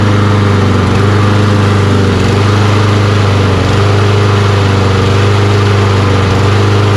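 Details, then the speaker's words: Toro Recycler mower, Kohler XT675 engine, after carburetor cleaning and adding fuel injector cleaner to old fuel: runs steady and even with firm low thump, no surging or misfire; still hard starting. "so there you go a little bit of old fuel injector cleaner rejuvenated that fuel a little bit and let it run a little better"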